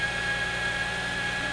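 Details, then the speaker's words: 2005 Subaru Outback 3.0 H6 after repairing a crank/no start caused by a rat-chewed crank sensor wire: engine runs smooth and even with a faint steady high whine, no misses or knocks; running fine. "but yeah doing fine now so we're gonna go run it down the road make sure that nothing else goes wrong"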